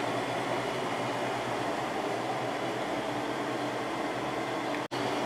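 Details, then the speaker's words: Windmill 6,000 BTU window air conditioner installed in window, cool mode set to 60, hot room, fan turned to high; steady airy rush with faint low hum, no rattles or squeals; pretty quiet, normal running. "So there's high speed. It is pretty quiet."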